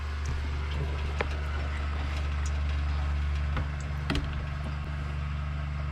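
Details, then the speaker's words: Coachmen Classic motorhome fresh water pump, tank about half full: steady low hum that never cycles off with faint ticks, pump running constantly and air heard; it may be drawing air, and the pump is suspected bad. "well that tank is actually about half full now i mean that's that's oops almost trip pump it's just running constant i hear air"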